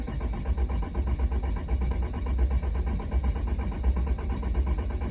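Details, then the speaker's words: 2007 5.9 Cummins, hard cold starts; with injector 6 blocked off at the rail, cranking is slow, uneven chugging that nearly catches as rail pressure reaches almost 11,000 kPa, so injector 6 is suspected weak or leaking. "Getting up to almost 11,000 there compared to the other ones, and the truck actually basically started there. So I believe it's number 6 at least is our main issue, so we'll do a little bit more digging and get back to you."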